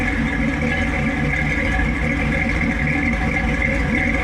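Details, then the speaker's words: 1952 Willys MB3 Jeep engine run after repairing a snapped rear pinion shaft with a six-cylinder pinion and fresh oil; steady, even low rumble with no knocks or clatter: normal running. "okay she's all back together uh she's running running"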